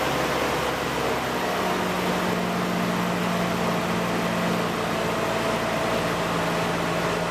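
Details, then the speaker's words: Ford Ranger idling after new exhaust fitted from behind the catalytic converter to the back: steady low drone, even hum, no rasp, ticking or blowing leak; normal exhaust note. "well let's start it up and see which thing sounds like this got to be better than it was before"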